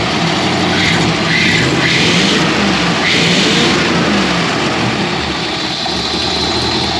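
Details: Ford Crown Victoria / Fairlane V8 with 4-barrel carb after throttle slide linkage sanded and nut tightened for sticking open: steady burble, smooth throttle blips, no stumble or miss; sounds normal, road test pending.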